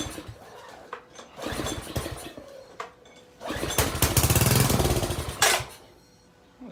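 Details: Gas pressure washer single-cylinder engine that had been sitting: after cranking on carb cleaner it catches with a few seconds of quick, uneven popping that dies away. It fires on starting fluid, compression seems fairly good, and the carburetor needs cleaning.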